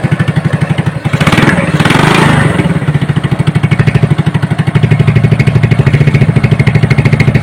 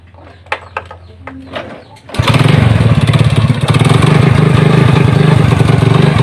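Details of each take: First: Hybrid Honda Supra (BMC right block, Honda left block) after teardown to fix a rough noise, idling with the valve cover cap off to check oil reaching the head: steady, even single-cylinder idle thump, a throttle blip, then a smooth beat; normal idle. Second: Honda Supra motorcycle built with mixed BMC and Honda blocks. It has a rough, rattly knock at idle and low throttle that sometimes disappears with the throttle opened. Cause: a loose clutch-side nut whose threads were still good.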